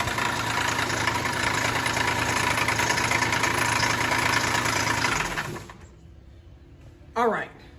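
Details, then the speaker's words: 2009 Dodge Charger SE 2.7 no-start, coughing through the intake, coolant dripping and mixing with oil: a harsh rattling rumble while trying to run, then shut off; the internal water pump failed and upset the timing. "right, so what I suspect what happened was the water pump, because I hear a lot of water pump noise. The water pump is internal on this particular engine."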